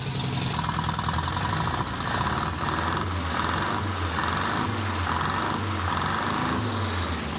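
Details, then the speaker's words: Rusty old Datsun with a leaking head gasket, run after the gasket was sealed with Vegemite: a rough but steady, low even idle that keeps running without stalling. An exhaust leak is also suspected. "I cannot believe that Fred actually runs on veggie Mite"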